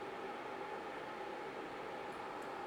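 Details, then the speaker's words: BlitzHOME BH-AP1 air purifier during smoke test, air-quality LED red, fan raised to maximum: steady rushing whoosh with faint hum and no rattle; normal, healthy fan at high speed. "How can we read bad increased the ventilation to the maximum and the LED is red"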